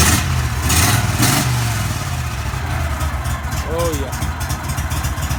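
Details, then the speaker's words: 35hp Vanguard V-twin on a Go-Devil surface drive, after an oil change, choked with no throttle while the filter fills: steady low thrumming idle, even beat, no knocking or misfire. "so we're just going to pull a choke here no throttle just choke it yeah this that brand new prop let that out for a little bit"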